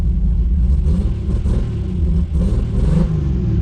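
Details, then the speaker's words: Built 2JZ-GTE in a 1995 Supra on Pro EFI, after coil swap: deep uneven exhaust rumble stumbling and hesitating as revs rise; spark tester shows no spark on one cylinder; dead cylinder. "Still got some hesitation going on. Let's grab our Freedom Checker 900. Oh, no. Still nothing. And the other one's good."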